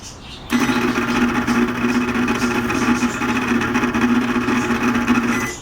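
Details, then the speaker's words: Microwave oven that still heats fine but makes a terrible noise: a steady buzzing whirr with a rough edge the whole time the plate turns, recorded close up with the oven tipped up. The worn, noisy turntable motor is to be replaced. "para calentar no tiene ningún problema calienta bien el problema nada más es el espantoso ruido que tiene"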